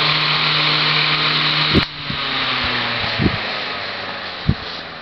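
Even fan whir with a few soft bumps, then a smooth wind-down with no scraping or squeal; bearings sound free and healthy.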